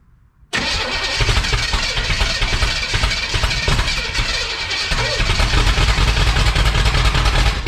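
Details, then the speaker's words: 1962 Chevrolet Impala with a 350 V8 being started: heavy, labouring cranking with irregular attempts to fire that never catch; ignition timing set too far advanced, to be backed off. "Well, she just tried. Man, we got too much timing now."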